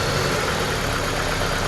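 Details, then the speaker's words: 2014 Dodge Journey four-cylinder petrol idling with an uneven, lumpy, shaking beat and check engine light on; swapping coils moved the misfire from cylinder 1 to cylinder 2, so a faulty ignition coil is the cause. "So now that the problem has moved from cylinder 1 to not changing at all to cylinder 2, this is going to be our problem. Coil is our problem."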